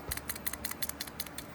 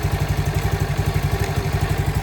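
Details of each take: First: Nibbi PE carburetor on a CT70 clone, reassembled after cleaning, shaken by hand: quick light clicks about six a second as the float taps freely in the bowl; float not stuck, carb ready to refit. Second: CT70 clone small single with Nibbi carburetor after pilot jet increased: weak uneven low idle with choke off, barely staying lit; idle mixture (air) screw needs adjusting.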